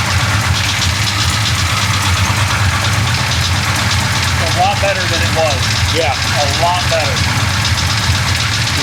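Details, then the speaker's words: Big-block Chevy 427 V8 after a valve adjustment, runs better than before: lumpy, loud idle with a light metallic chatter that comes and goes, bank unclear. Intermittent valvetrain chatter. "that chatter coming back it comes and goes yeah it on that side or this side I can't really tell that time"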